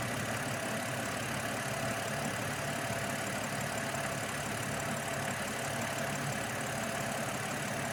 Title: 730Li Rough Idle after Vanos recall 10.9.25